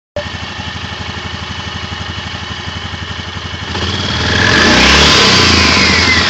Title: Стук вариатора